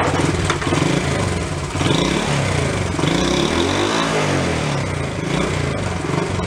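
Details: Worn Honda Trail 70 barn find, started without choke before repair: uneven, clattery run with revs surging and sagging; rough running, cleaner burning off suspected, needs full tune-up.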